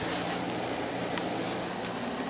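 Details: LG 12,000 BTU 220 V AC/heat unit, about a year old (built 08/2019), heard from outside. Steady airy fan rush over a soft low compressor hum with no rattles, squeals or clicks; running normally.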